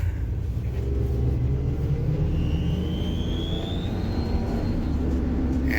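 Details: Ford Transit EcoBoost van accelerating while cold: thin high squeal over the deep engine rumble, easily mistaken for a belt, fading as it warms; caused by an exhaust manifold leak at a broken stud.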